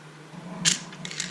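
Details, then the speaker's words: 2004 Chevy Avalanche passenger door lock actuator, old unit removed and tested with the button: brief strained whir with gritty crunching inside the motor, gears worn; actuator judged done and replaced. "Oh yeah. Kind of works, but inside that motor you can hear some crunching for sure. Say the actuator's done, and hopefully the new one will do the trick."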